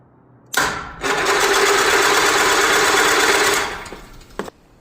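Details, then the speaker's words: Starter on a 2-year-old battery cranks fast, even and strong, about three and a half strokes a second, after a week off the tender, now recharged; starter healthy. "So, seems like I had just left the battery off the tender for too long."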